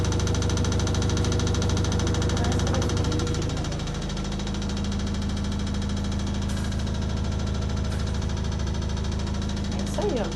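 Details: Samsung EcoBubble 11 kg/6 kg washer-dryer in spin cycle, heard approaching from the kitchen; heavy rapid pounding about three thumps a second like a jackhammer, getting worse over time.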